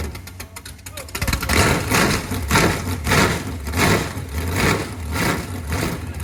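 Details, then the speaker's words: Chevy 350 small-block V8, pulled from a Camaro, on its first start after sitting for years: it catches after brief cranking and settles into a lumpy, even idle with slow rhythmic swells. Runs healthy; normal idle. "i'd say that worked pretty good and it sounds just as good as i remember what do you think"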